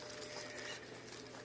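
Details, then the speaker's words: Front hub from a 2006 VW Jetta 2.5L, removed from the car and turned by hand: a quiet gritty crackle, rough and uneven with play up and down; a worn, crunching wheel bearing, hub to be replaced. "you hear it they all crunch inside so definitely I messed up wheel bearing"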